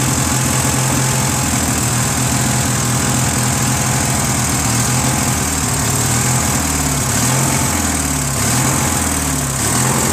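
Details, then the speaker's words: Briggs & Stratton 16HP opposed-twin on a Murray garden tractor, oil just changed: steady putter that starts hunting up and down near the end, lean surge; runs good with some choke; owner thinks a missing Welch plug starves fuel. "Runs good with some choke. It means not enough gas is getting there. Because if it was full air, right, gas should be able to ignite, but because it surges, it's not getting enough gas."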